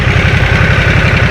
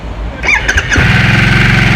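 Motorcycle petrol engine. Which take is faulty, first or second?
second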